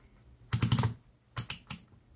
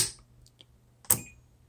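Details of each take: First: Known-good 12 V DC four-post solenoid/contactor energized with a power probe: crisp, sharp clicks in quick bursts as it switches on and off, normal solenoid click, unlike the failed unit. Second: 4-post 12 V DC solenoid/contactor, 12.4 V applied by power probe: two sharp clicks as the coil pulls in, but no continuity across the contacts, so they fail to close, a failed solenoid.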